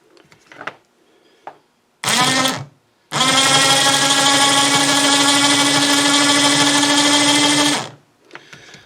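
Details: Snow blower chute winch motor after cleaning, greasing gears and reassembly: smooth, steady whine at constant pitch with no grinding or rattle; running a little better, cleanly.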